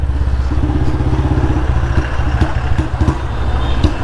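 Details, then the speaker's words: Royal Enfield Bullet Standard 350 single-cylinder, riding with the petrol tank running dry: steady thump, then beats drop out unevenly and the engine stumbles. Misfire from fuel starvation. "घर पहुंचेगी कि नहीं पता नहीं कल से ऐसे ही दौड़ा रहा हूं यार लो मिसिंग स्टार्ट हो गई"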